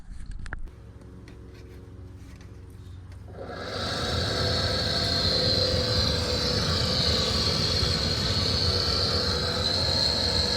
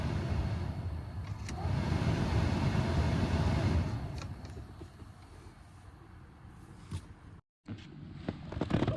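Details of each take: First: Dodge Charger A/C cabin blower motor before replacement with a used junkyard unit: loud air rush with a high, wavering whine and faint rapid flutter; noisy blower motor. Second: Dodge Charger A/C cabin blower motor after replacing the noisy original with a used junkyard unit: a smooth, steady rush of air with no rattle or squeal, normal blower operation.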